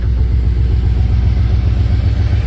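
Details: HQ Monaro V8 idling before warm-up: a deep, even burble at steady idle with no misses or knocks, running smooth and healthy.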